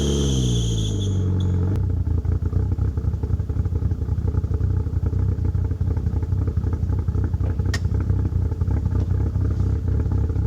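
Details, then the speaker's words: 1997 Mitsubishi Eclipse GSX, cold start after sitting almost 5 years: a high belt squeal at startup, then a fast idle with a sharp puffing tick. The front exhaust leaks because it has no gasket. "Of course there had to be a belt squeal to ruin it, but let's give it some revs."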